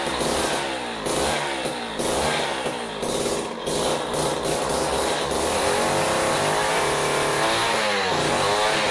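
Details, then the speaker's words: Jiffy Model 30 ice auger, unused for years, last fuelled with ethanol gasoline, idle speed screw adjusted: busy fast two-stroke putter holding a fairly steady idle, running much better, though a carb kit is probably still needed. "w well that certainly runs a lot better than it did but I'm not real happy with it I'm thinking that we need to uh probably get a carb kit for for it"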